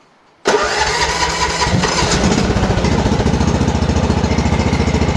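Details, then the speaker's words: MTD lawn mower after repair for RPM jumping/hunting at idle, filter refitted: pulls once, catches right away, settles into a steady even putter with no hunting or surging; normal start and idle. "That was kind of good start. Very good. That's very nice."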